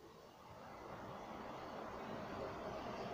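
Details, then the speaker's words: Household electric fan running after quick repair: quiet smooth airy whir building slightly as blades come up to speed, no scraping or clicking; fan spins freely, normal running. "je prends mon cas je le branche et j'allume et les voyez ça marche"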